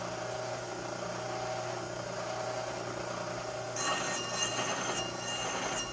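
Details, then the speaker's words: Brake lathe cutting a 1971 Triumph TR6 brake rotor, cutters just touching: hum with a scraping squeal that comes and goes each turn, cutting only part of the disc; rotor out of round. "We'll get an idea how to round it is too. Some you'll hear it go scrape nothing. Scrape"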